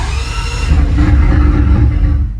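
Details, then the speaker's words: Engine with the secondary air pump removed and only 11 volts in the battery catches and runs rough about two seconds, then dies; dash shows low fuel after a fuel line leak, car has no fuel, so it stalls. "The reason why the car won't continue to run is because the car has no fuel in it."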